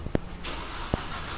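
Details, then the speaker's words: Mercedes C200 Kompressor that broke down on the road: a couple of clunks, then the starter spins the engine with a steady churn but it never fires. Scan showed a crankshaft position sensor error; replacing the sensor fixed the car. "इसका problem क्या है friend की अब जब हम start करते हैं तो सेल्फ लेट है लेकिन गाड़ी स्टार्ट नहीं होता है"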